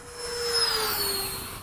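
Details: E-flite 80mm F-4 ducted fan RC jet with 2100kv motor in fast flight: high fan whine sweeping down in pitch on passes, slightly rough buzzy edge; fan had been balanced but balance came undone, noisier than before.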